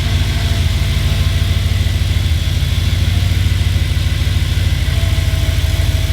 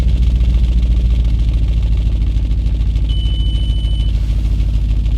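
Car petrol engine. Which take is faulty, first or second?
second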